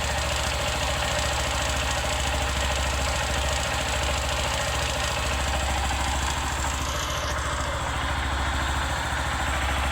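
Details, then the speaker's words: 150 cc motorcycle whose engine was rebuilt about 1.5–2 years ago, idling: a fast, uneven knocking over the beat that appears when the engine gets hot. Suspected piston slap from a worn piston; the engine is being disassembled to check the piston kit. "Você quando tá rodando com a moto, você consegue estar identificando ali um barulhinho tipo pistão, né?"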